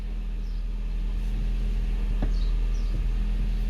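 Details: 2012 Hyundai i30, 2.0 automatic, after fixing the common steering-column noise: steady low engine idle with only one faint tick as the wheel goes to lock; no clunk or knock, steering coupling sounds quiet after repair.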